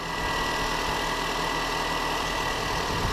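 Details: Mini One after PCV valve replacement: steady, even idle with smooth hum and no whistle or hiss; engine sounds healthy.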